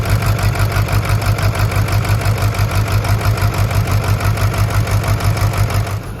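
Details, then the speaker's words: Diesel burnout truck, cold after rain and a cold front: an uneven, lumpy idle stumbling about three times a second with no knock, oil pressure present and blow-by from the oil fill cap; owner suspects a broken or melted piston. "Well, unfortunately, I think the engine is hurt. Thankfully, I don't think it's bad. Might have a broke piston, melted piston, something,"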